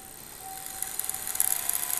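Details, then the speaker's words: Small motor on crocodile clips powered from an old Unilab benchtop power pack as voltage is turned up: thin high whine, faint steady hum, light brush ticking building; motor spins freely, stops when voltage cranked down; normal running. "I turn it on and turn up the voltage. It's humming, but oh wait."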